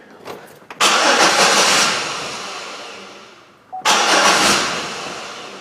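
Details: Chevrolet Impala, possibly 2011, towed in as a crank no start with the fuel pump suspected: two bursts of brisk, even cranking that fade without the engine ever catching. Crank, no start.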